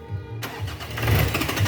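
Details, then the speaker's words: Nissan Pathfinder 4-cylinder electronic diesel with hard-start issue: a second of quiet, then steady cranking that never catches; caused by misadjusted turbocharger actuator, engine starts once actuator is adjusted. "you see engine is cranking but it's not starting the problem with this actuator"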